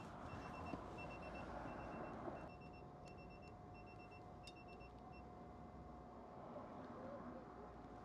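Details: Citroen Ami having a tyre pressure monitoring system fitted, sensor just screwed onto rear right valve: quiet high-pitched short beeps in quick repeated bursts over faint outdoor hiss; TPMS low tyre pressure warning.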